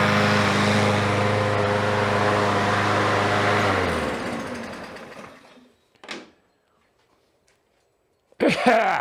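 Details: Revived Troy-Bilt mower, smoky from oil in the cylinder: small engine runs smooth and even about four seconds, then winds down to a stop; no misfire, normal running.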